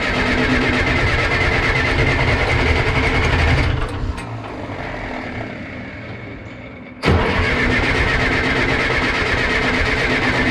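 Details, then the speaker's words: John Deere 480B diesel after fuel system bleed: fires and runs rough a few seconds, fades, nearly dies, catches again; owner suspects leftover fuel in lines and an air bubble, not confirmed. "it could have had some fuel still in these lines and an air bubble pushed it to make it run"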